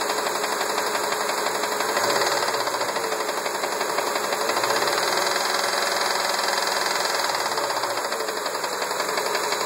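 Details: 1999 Ford Expedition 5.4L V8 at idle: a mystery steady knocking under the engine noise, roughly two knocks a second.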